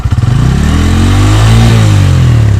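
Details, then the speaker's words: 2024 Bajaj Pulsar N150 engine, stationary test revved to 7000–8000 rpm: pitch sweeps up smoothly to high revs with no rattles or knocks. No noticeable vibration; normal high-rpm revving. "लगभग हम दोस्तों यहां पर इसमें हमने अभी 7000 से 8000 आरपीएम तक किया गाड़ी को और यहां पर देख सकते हैं बिल्कुल भी वाइब्रेशंस नहीं है"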